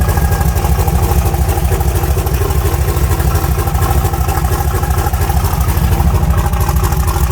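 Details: 1974 Nova V8 just fitted with an S480 turbo and homemade exhaust, cold at about 27 degrees before warming up: deep, loud, lumpy idle holding a steady, even rhythm with no misfires or knocks; normal idle.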